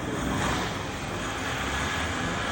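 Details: 2015 Volkswagen Polo 1.4 TDI diesel after new injectors were fitted and coded, fixing a knocking under load at 2000–2500 rpm with heavy black smoke; now running with a steady, even rumble, no knocking.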